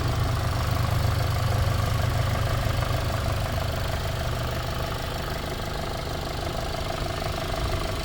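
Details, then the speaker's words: 2014 Volkswagen Passat 1.8 at idle in park, reported rattle on startup and exhaust noise: steady idle with light regular rattle about four times a second over low hum; source not pinned down, engine otherwise sounds decent. "To me, that just sounds like your typical little lawnmower engine motor. Doesn't sound like anything to me, but so that's what it sounds like. Sounds like actually a decent running motor, just a little rattly."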